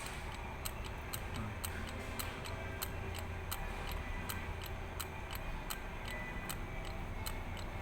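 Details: Isuzu 4HL1 diesel at about 2500 rpm: sharp clock-like ticks about twice a second over steady diesel rumble at raised revs; source of the ticking not yet pinned down.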